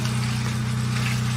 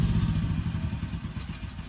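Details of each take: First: Generator powering a septic pump control box as the float lifts: steady low engine drone that dips then holds firm as the pump load comes on, water level dropping; generator carrying the load normally. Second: Generator run without enough fresh air: firing pulses slow, falter and fade out as it dies, its carbon monoxide cutoff tripping.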